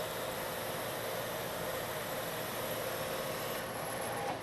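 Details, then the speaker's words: Metal lathe turning a long thin part after a center was machined in its end, same depth and speed as before: steady even hiss and hum with no chatter, giving a better surface finish. "the pass i'm making this time is the same in depth and speed as the pass that i just made this time you don't hear the chatter"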